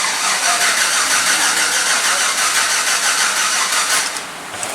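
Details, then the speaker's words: 2007 GMC Yukon after engine replacement, first start with clear-flood crank to build oil pressure: sluggish, labored cranking about three turns per second without catching; starter dragging on a nearly dead battery. "Crank it a little slow. That's typical. Give her a try again."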